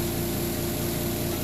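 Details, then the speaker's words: Zeny portable washing machine spinning a bed sheet for 3 minutes; one brief knock at start then settles: even mid-pitch whirring hum, no thumping or wobble, normal spin cycle. "You heard that knock real quick, but it stopped. So that's the way it should sound."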